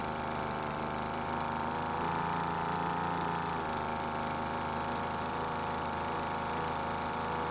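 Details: Cheap small two-stroke leaf blower that wouldn't start, after carburetor H-screw (full-speed) adjustment: steady, even idle buzz at constant pitch with no stumbling or surging; L screw untouched since it already idled fine.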